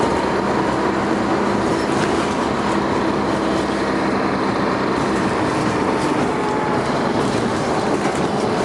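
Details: First Manchester Dennis Arrow bus 31935 R435ULE with ZF gearbox, recorded November 2011: loud, rough, steady diesel roar with low rumble and faint whine while pulling away; engine thrash under acceleration; bus also grinds in second gear.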